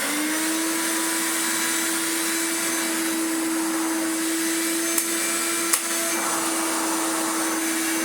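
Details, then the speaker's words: Hoover Turbomaster Electronic vacuum after new belts and belt-shifter repair; steady even motor hum, constant pitch, no rattles or belt slipping; reliable operation on carpet and hard floor, normal running. "finally we have reliable operation on both carpet and although it's not fantastic has it hard floor"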